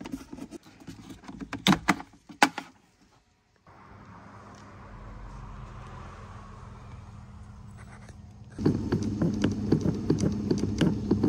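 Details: Skoda Fabia 3 fresh-air flap actuator clicking in the dashboard: uneven light ticking and tapping from behind the dash over a steady fan hum; noise analysed, then repaired.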